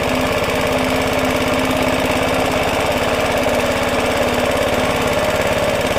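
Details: Roughly 70-year-old Suffolk Super Punch 17-inch cylinder mower, SIF 75cc cast-iron engine, running on oil-petrol mix after carb and points clean, microphone fitted; loud even popping about three beats a second, no misses or surging; runs better than expected, normal running.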